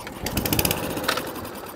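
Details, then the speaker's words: Atco Balmoral cylinder lawnmower engine on the bench, after flooding its non-Tillotson carburettor: a few quick pops as it catches for half a second, then fades and dies; carburettor fuel starvation. "that's all we're getting just definitely carburetor fuel starvation issue"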